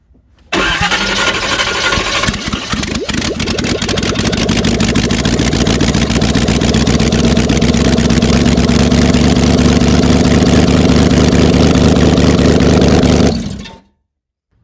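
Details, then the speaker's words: 1994 Chevy C1500 Silverado 4x4 with 350 small-block V8, aluminum heads, small cam, run with open heads (no exhaust): cranks, catches and settles into a loud, raw, crackly unmuffled V8 idle, running steady and healthy. "we're going to give her one more rip with the open Heads"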